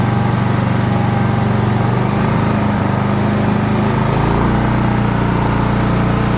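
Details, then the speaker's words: DR all-terrain mower with Kawasaki FV420V single-cylinder engine, revived after sitting for years; carburetor jets cleaned with brake parts cleaner without removal. Steady, even buzz at fast idle with no misses or stumbles. Normal running. "all right well that's just a Kawasaki engine for you they don't care they just run"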